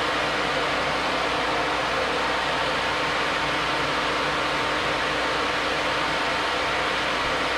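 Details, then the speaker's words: New Flex-a-lite Flex-Wave 16-inch electric puller radiator fan on a stock 4.3L V6, manually switched on from inside; louder than the old fan. A loud, steady rush of air over a faint constant hum, no ticking or scraping. Normal running. "so i'll show you uh you know that it works i can manually override the radiator fan with a switch inside definitely moving a lot of air"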